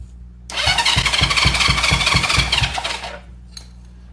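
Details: 1970 Honda CL350 sitting 42 years, after checking the switched ignition wiring. The starter turns it over at three to four beats a second for 2.5 seconds without firing. No fuel is reaching it; fuel was then added to the cylinders and timing checked.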